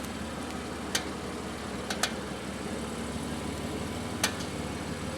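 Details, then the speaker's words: BMW F8x M2/M3/M4 front wheel at standstill during a dry steering test: a few sharp, irregular metallic clicks, confirmed as coming from the loose pinch bolt in the front wheel hub. "Now, carrying out that little test there has confirmed that the noise is in fact coming from the bottom here where the pinch bolt is located."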